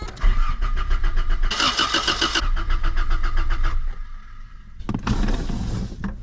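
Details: 1987 Toyota Corolla FX16 GTS, odometer 191, cranks but won't start even though a mechanic replaced the fuel pump: starter spins the engine in even bursts with no firing, as no fuel is reaching it. Later traced to pump wiring routed through a relay to the defroster switch, a suspected kill switch.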